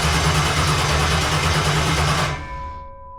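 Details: Jet boat after fitting a spare ignition box: steady cranking about three beats a second for two seconds, never fires; spare box didn't fix it, cause ultimately bad gas.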